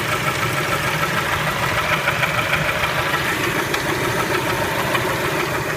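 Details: Spectra engine at idle: a fairly regular tapping of about 200 per minute rides over the idle; engine knock, cause not yet pinned down.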